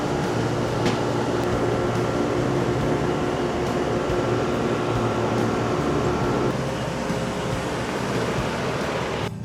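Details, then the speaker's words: Old Rheem-style AC condenser after fan motor replacement (new motor needed a capacitor, original had none): steady, even fan hum, slight vibration, no rubbing or rattle; running quiet and healthy. "Little bit of vibration. Nice and quiet now."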